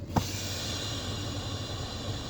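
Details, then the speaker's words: 2003 Toyota Tundra 4.7L 4x4 running at idle, ABS light on, microphone near the booster at the firewall: a click, then a steady airy hiss as the brake pedal is applied, stopping on release; cracked power booster diaphragm leaking vacuum from the intake. "okay you hear that backing sound that doesn't go away when you're applying the brake that's vacuum that's being pulled from the intake through the power booster but it stops as soon as you let it go"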